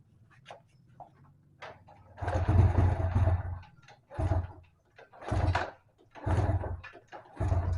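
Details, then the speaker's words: Yamaha Vega ZR left unused too long, pre-repair test: five kick-start attempts, each giving a brief low cough and dying; the engine won't catch and is hard to start. "Ya, jadi kondisinya seperti itu ya, dinyalakan juga susah karena kondisinya memang sudah parah, karena kendaraan ini itu tadinya enggak digunakan ya, ataupun enggak dipakai, jadi nganggur terlalu lama."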